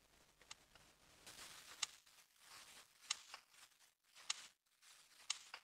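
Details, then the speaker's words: 2013 Holden Captiva 7, 2.4 L petrol, check engine light with codes P0010/P0013: scan-tool actuation test of the exhaust camshaft position actuator solenoid, mic down near it. Four crisp, evenly spaced ticks about once a second; the solenoid switches cleanly, judged normal. "exhaust camshaft position actuator solenoid valve now i'm just going to get my microphone down near it because you probably can't hear it otherwise"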